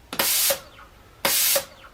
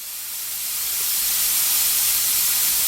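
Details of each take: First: Home-built Arduino-controlled minimum quantity lubrication pump for CNC mill, manual mode: sharp hissing air bursts as the air control solenoid switches on and off about twice a second, regulator dipping slightly; working normally. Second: Home-built CNC minimum quantity lubrication system at start-up pre-lube: steady hard hiss of air and oil mist lasting too long, delivering too much lubricant as a mist cloud; pre-lube high-flow time set too long.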